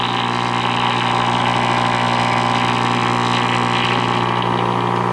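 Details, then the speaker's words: 1940 Emerson DB301 AA5 tube radio, hacked-up, filter capacitors verified, resistors checked: steady low-pitched mains hum with buzzy overtones swamps stations, faint music behind; hum source not found. "it's pretty much throughout the radio this buzzing huming and I've double checked to make sure the filter capacitors are installed correctly and they are"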